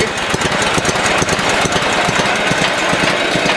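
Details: Sears Suburban SS16 snowblower, small single-cylinder engine cold-started in a garage around 17–18 degrees: slow, steady putter at idle with even firing, no misses; healthy cold-start idle.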